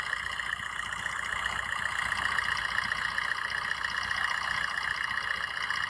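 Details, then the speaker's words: Used car engine given light throttle during a pre-purchase inspection in India, checking for smoke or oil blow-by: steady hum with light blips, even rhythm, no knocks or misses; no blow-by, engine judged fine. "मैं इसी तरीके का जो भी है जो all बात नहीं आ रहा है इसका मतलब है कि इंजन सही है"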